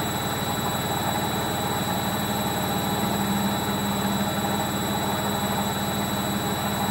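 A constant heavy roar with a droning hum stays level through the spin, not a clean whirr; the drum bearings have gone.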